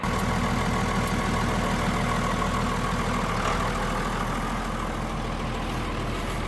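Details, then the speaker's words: Pickup engine after 5 quarts of water were drained from the oil (block probably junk), cranked to see if it fires: it runs at a fast idle with a slightly uneven, rough pulse and no clear knock; internal damage suspected. "So that means the block is probably junk, but we're still going to crank it over and see if it'll fire anyway."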